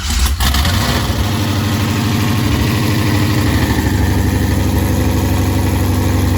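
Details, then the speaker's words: C5 Corvette, first start in 4 years after swap to a built 6.0, still on an LS1 tune with one O2 sensor unconnected: lumpy, uneven, hunting V8 idle. Owner suspects the throttle body needs tuning. Rough idle. "i don't think it likes the uh the throttle body i think it's going to have to get tuned for it"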